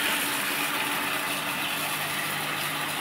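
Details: 2 hp electric water pump running normally after repair with a steady, even hum and water rushing through; before the fix it hummed loudly without turning and tripped the breaker, cured by a 115-baht replacement part.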